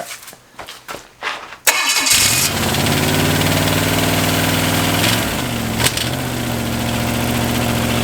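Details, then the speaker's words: Chevy 283 small-block running on one head (four cylinders, homemade CNC head gasket): cranking pulses, then fires into fast idle with light even tick about four per second, likely from the lifters. "the ticking over here there's a bit of a tick over here like yeah so I think that's some yeah you hear that that lifters going back down here we go"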